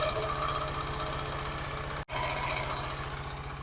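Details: Small single-cylinder motorcycle engine idling after fitting a new spring and tightening the 14 mm nut, steady low thump with no tapping or rattle on top; engine noise fixed, idle clean and even.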